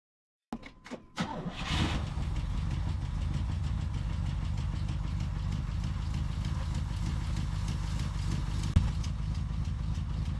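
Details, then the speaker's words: 1983 Firebird V8 off the road for years, valves just relashed; fast uneven idle with loud rapid top-end ticking, lifters suspected collapsing; zero oil pressure found, warming up. "I don't know what that noise is probably shouldn't beat on it he's going to try a second de GE Burnie but boy is it making some racket"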